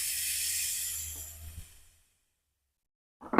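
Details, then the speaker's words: Air Venturi Avenger air rifle during bottle conversion: loosening tube fitting by hand releases a sharp hiss fading within two seconds, small residual air left though gauge read zero. "Oh. Got a little bit of air, you hear that? Huh. Thought we got it all out."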